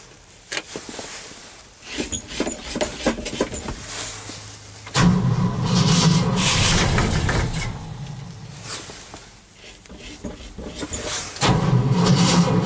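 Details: Cold start attempt after an overnight low of -11 and 0 degrees at start: repeated quick, even cranking bursts about four a second, engine never catches; owner thinks he flooded it and the battery is weak. Cranks but no start.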